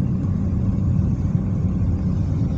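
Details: Car driving after replacing worn left stabilizer link that caused suspension knocks: steady low road rumble, no knocks or clunks from the suspension.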